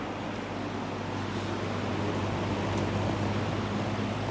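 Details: Late-1960s Golden Tee Champion 20-inch two-speed box fan, model 2065, steel blades: steady hum with a faint light rattle ticking a few times a second; a loose riveted metal blade plate is chattering.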